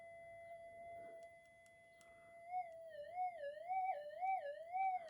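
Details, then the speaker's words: Minelab GPX5000 metal detector, coil wiggled: a steady tone starts wobbling up and down about twice a second, intermittent fault from tiny breaks in the coil's mylar shield killing depth; suggested fix: add another mylar strip. "it changed tune again I heard that okay get in get my head right in there yeah yeah yeah it's changing I can hear the audio"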